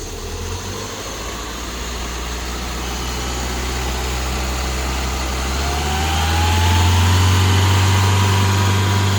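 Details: 1996 Ford Mondeo 1.6 petrol with a 5-speed manual: idle won't hold steady, and the note climbs and swells after about six seconds, then hangs high. It sounds fine when revved, but idle rpm is not constant (hunting idle).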